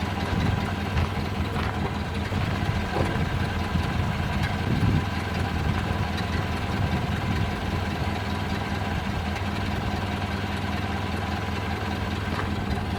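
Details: 1929 Ford Model A after oil pan gasket replacement and new oil filter fitted: slow even low thump, steady beat, no knocks or misses, idling before test drive; sounds like it's idling really well.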